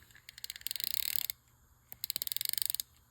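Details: Dolphin 580 helical-gear ball-bearing spinning reel, made in Japan, during reassembly after cleaning and lubrication, anti-reverse activated: two even bursts of fast crisp clicks, about 25 per second, as the rotor turns; anti-reverse ratchet engages cleanly.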